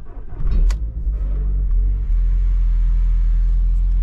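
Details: £475 Copart Audi TT: short crank, then it catches at once and settles into a steady, low, even idle rumble; a clean, healthy start, described as very reliable.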